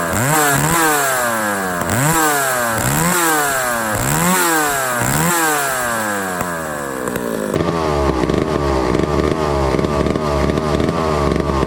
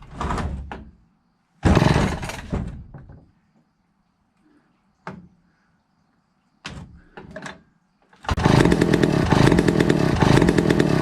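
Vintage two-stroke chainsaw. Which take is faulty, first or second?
second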